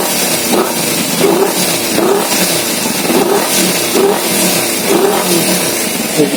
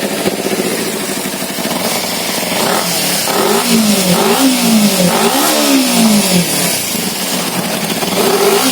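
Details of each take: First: Kawasaki Z250 FI after repair, TPS reading normal at 0.8 and no more thick black exhaust smoke: quick throttle blips each drop cleanly back to a steady idle, with fuel mixture now correct; normal start and throttle response. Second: Kawasaki Z250 fuel-injected with heavy black exhaust smoke and no malfunction light: revs rise and fall unevenly, stumbling at low rpm and nearly dying, sometimes hanging at 3,000-3,500 rpm; rich-mixture misfire.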